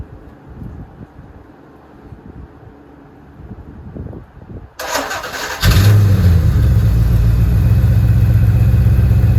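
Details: Porsche 928 GTS V8 with a manual transmission swap, second start after exhaust leaks were fixed: the starter catches and the engine settles straight into a steady, even idle with no puffing or ticking; healthy.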